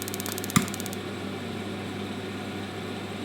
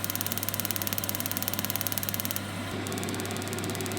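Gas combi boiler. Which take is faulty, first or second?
second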